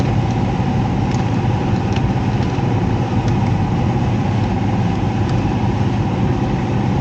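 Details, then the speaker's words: Heat pump with electric heat, reported for loud noises, with gurgling heard: a steady, heavy rumble with a faint hum and no clean, even airflow. The blower fan wheel is badly damaged and cannot be removed without dismantling the unit. "fan wheel is all jacked up and even if I had to replace a fan wheel I couldn't get it off there without ripping the whole thing apart"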